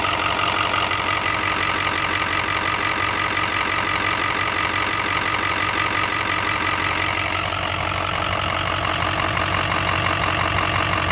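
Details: 2006 6.0 Powerstroke diesel V8 idling with a steady, repetitive tick-knock, roughly three a second, over the clatter; owner suspects lifter tick or rod knock, not confirmed.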